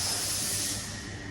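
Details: 2002 Nissan Altima with a used replacement engine, high idle and surge: sharp airy hiss over a quiet engine from a split vacuum hose patched with electrical tape; vacuum leak, hose needs replacing.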